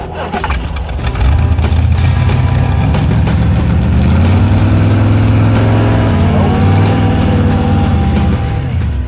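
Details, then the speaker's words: Vette Kart engine hangs at about 2,000 rpm fast idle without returning; throttle sticking from sand grit in the throttle shaft; hosing it out made it better, fixed. "I can live with a 2,000 RPM idle, but I can't live with it not returning."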